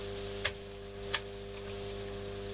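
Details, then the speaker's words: Telefunken Magnetophon 95 tape recorder after its original belt was boiled in the microwave with salt and treated with rubber renewer: steady low hum, two soft switch clicks, no scraping or squeal; earlier noise gone and speed corrected. "Also, the speed is back to where it should be because it was in fact wrong. So it's something approaching right."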